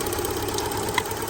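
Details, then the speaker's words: 2008 Subaru Impreza flat-four with a dead coil, running on one cylinder with a second plug wire pulled: rough, uneven running with a sharp crackling snap as the plug lead arcs while the engine misfires. "i want to pull a spark plug wire out and now you'll hear this one you can hear the wire"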